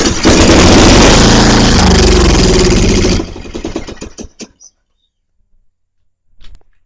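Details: Scrapyard Murray lawn mower primed with about a teaspoon of gas in the carburetor, none in the tank, at full throttle; oil smells of gas and a carburetor issue is suspected: fires and runs about three seconds, then sputters and dies.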